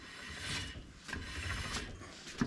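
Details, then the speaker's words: 1961 Oldsmobile rear drum brake after shoe replacement, drum turned by hand: soft even scraping rub each pass; light shoe drag, correct initial adjustment, adjustable from underneath through backing plate slot. "you can adjust it from underneath so what you're gonna do is put the drum on I don't know if you can hear that on camera there's just a little bit of drag on the you can just see the page scraping inside the drum there"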